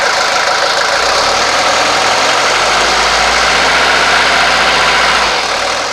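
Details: 1983 Mercedes 240D diesel after throttle linkage reinstalled and lubricated, later gaining power. Loud, steady diesel clatter at idle holding an even beat without stumbling or surging: normal idle.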